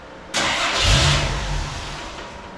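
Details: 1983 Jeep CJ7 first start after new fuel pump and carburetor cleaning: starter grinds, engine catches with a brief rough burst then dies within seconds; small fuel leak found on a line, cause suspected, not confirmed.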